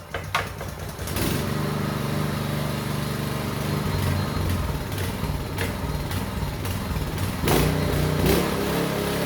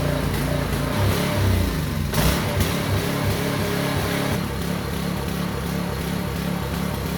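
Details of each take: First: Small petrol engine on a concrete vibrating needle, revived after carburetor cleaning, choke on: catches after a brief crank and settles into a steady, slightly lumpy beat that holds even; running well. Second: Small engine on a concrete vibrator needle unit, running after carburetor strip-down: low throbbing beat with an uneven, lumpy lope like a big cam; owner suspects gunk still coming through the fuel line.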